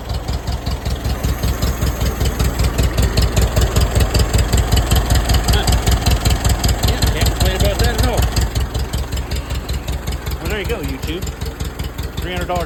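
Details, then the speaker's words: 1947 Case VAH tractor with loader, idling with no knocks or misses; charging, 15 lbs oil pressure, temperature gauge not yet moved. A low, steady, even chugging idle: it actually runs okay. "That's the cheapest loader you ever found in your life. Just actually runs okay."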